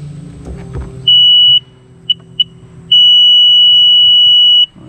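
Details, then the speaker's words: Sea-Doo jet ski that sat for years, powered by a jump starter at key-on: a short beep, two chirps, a long beep and a faint fuel pump priming whir, showing 43 hours; normal power-up. "hear a fuel pump and beeping."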